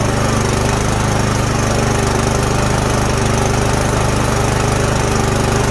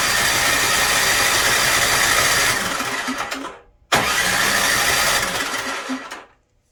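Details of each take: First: Snowblower that would not start after sitting all summer, now running after the fix: the small single-cylinder engine holds a steady, even beat at constant speed with no stumbling or surging. Normal running. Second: Snowblower that won't start after sitting all summer: two bursts of quick, even cranking at about four beats a second, then silence. The engine never catches; cranks but won't start.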